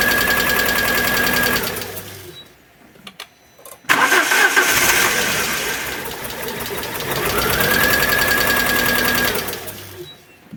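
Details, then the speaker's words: Alfa Romeo 147 Twin Spark, towed in with misfires, very rough idle and hard starting: lopsided cranking of about four pulses a second with one weak stroke, then catches and runs rough; one cylinder low on compression. "the customer states that the car misfires and it has a very rough idle and also it is difficult to start"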